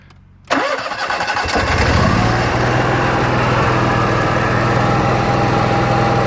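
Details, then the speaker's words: Onan Marquis Gold 5500 RV generator that stalled after about 15 minutes and would not restart until cooled; after the repair, a warm restart cranks briefly, catches at once and settles into a steady, even idle with no stumble. Issue appears solved. "it looks like the issue is solved works just fine let's just try it one more time to start it to make sure it's not a fluke that it's still working"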